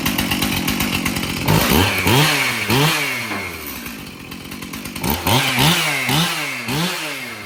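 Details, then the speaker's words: Stihl MS291 chainsaw, sold new in 2019, test-run outdoors before service: repeated throttle blips, revving up and dropping back crisp and clean with quick response; runs normally. The loose bar nut vibrated off. "well I think starts and runs no problem"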